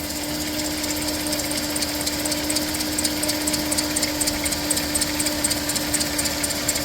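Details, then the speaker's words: Minivan, apparently cold start after a complete tune-up with all-new ignition parts; steady whirring hum at idle with light even ticking about four a second and a squeak: water pump bearing wear, pulley visibly wobbling, pump nearing failure. "So, this is what I was talking about. That water pump pulley is wobbling and I think she's getting closer to giving out here."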